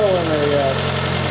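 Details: Pontiac Sunfire 2.2L on first start after broken timing chain replacement: catches and settles into a steady idle with even firing and no rattle or knock. Some smoke, thought to be chemicals burning off; runs normally.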